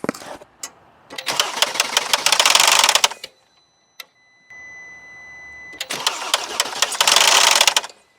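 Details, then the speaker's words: Mercedes GL 450, cold start on a jump pack, with cam position sensor, low turbo boost and oil pump valve codes and debris on the cam actuator magnets: two bursts of harsh rapid metallic knocking, about three a second; severe, source unclear. Cold start engine knocking. "Okay, I hear you. I definitely hear you. Jeez. That's pretty bad."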